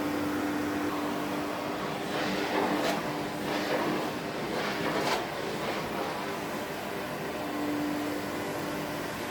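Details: 1972 Electrolux Z310 cylinder vacuum after cleaning very dirty fans and greasing bearings, formerly very noisy: steady soft rushing airflow with a faint even hum, no rattle or bearing whine; normal running.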